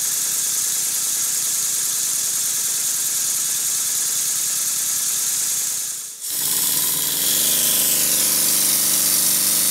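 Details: Stuart Double 10V model steam engine run on compressed air at very high speed on the bench, timing not yet adjusted: fast, hissy chuffing with air blowing through under a loose beat. Valve still leaks a little.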